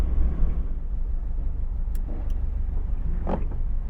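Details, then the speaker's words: Mazda MX-5 after restoration, on a cold morning after its first drive: deep, lumpy, uneven idle running clearly on three cylinders with low idle speed; misfire, coil pack suspected but not yet confirmed. "you can hear it's very clearly only running on three cylinders and look at the idle speed is quite low"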